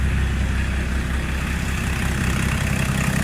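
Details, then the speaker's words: Range Rover P38 diesel lacking power, with injection pump being adjusted (injector quantity 29, said to be about 5): chugs slow and heavy at about 600 rpm idle instead of about 750 due to pump timing. "We're knocking the injector pump, which is there, that way, and that speeds the engine up. Should be around 750 apparently on the idle, and it's currently at 600."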